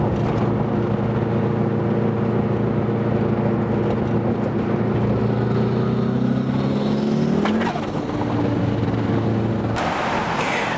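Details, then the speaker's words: Engine after cooling system refilled, on a hard full-power pull: rising note then one loud sharp pop as it came on boost, revs dropping; car kept running and nothing found in the engine bay, cause unknown. "there was a pretty loud pop when I got on Boost right"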